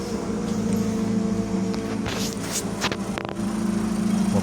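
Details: VW Touran, original 2.0 diesel swapped for a 2.0 petrol engine with DSG automatic: steady, even engine hum with no knocks or misses, some handling noise around it; normal idle.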